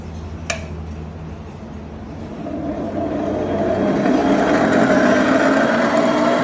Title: Epic E60L Bad Motor Bearing